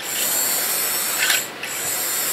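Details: Used vintage 00 gauge model locomotive (the "100 year celebration" loco) from an untested job lot, on Hornby track: even high-pitched motor buzz with light track chatter, steady apart from one brief dip; normal smooth running.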